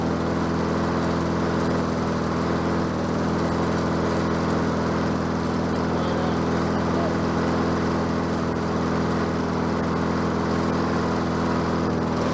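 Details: Bolens 22-inch self-propelled mower with a Quantum engine, on the ground after repair work: steady, even drone at constant speed with no misses, surges or knocks; self-propel works and it runs smoothly and healthy.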